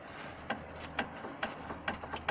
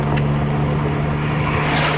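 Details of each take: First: VW Caddy anti-roll bar link with at least 1 cm of play, rocked by hand underneath the car: sharp metallic clacks about twice a second. Suspected worn link as the suspension knock source; replacement planned. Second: VW Caddy driving after a suspension repair: a steady road and engine drone with no knocks or clunks from the front end, so the suspension knock is gone. A faint ticking from the rear is still suspected and needs checking.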